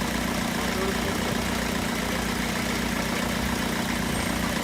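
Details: 2007 Ford Connect 90 PS diesel after an injector overhaul, done because heavy misfire was traced to high injector back-leak: a steady, even idle with a smooth low rumble and no misfire. The engine now runs cleanly.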